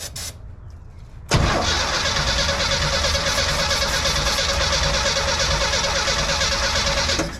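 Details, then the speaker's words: 1971 Chevy C10, ignition system untouched: starter cranks the six evenly for about six seconds but it never catches; no spark seen; points possibly bad, distributor cap to be pulled; crank no start. "I guess no spark come we going to see if it's got spark so try that again I'm not seeing anything no spark"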